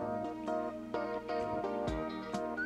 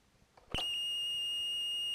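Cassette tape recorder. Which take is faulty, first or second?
first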